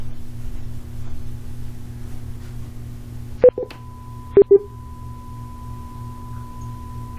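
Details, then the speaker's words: Interacoustics audiometer being calibrated with the ACS calibration and analysis system: steady pure tones over a low hum, broken by short clean beeps at intervals, indicating nothing is out of range. Normal calibration tone sequence. "you see if you hear that beeping in the background it simply just tells me that everything is going fine"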